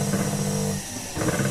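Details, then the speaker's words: Water pump after impeller adjustment, run before fitting the front cover: short smooth steady motor hum with no scraping or ticking; impeller spins freely without rubbing the volute housing. "dan impernya aman tidak ada gesekan dengan bagian keongan ini bisa langsung dipasang untuk bagian tutup depannya"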